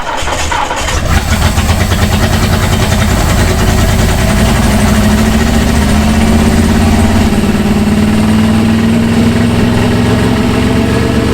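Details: 1966 Ford Galaxie 390 big-block V8, first run after sitting 35 years, no gearbox: runs steadily but unevenly with a lumpy, stumbling beat under the revs; rough running, not firing cleanly, cause not confirmed.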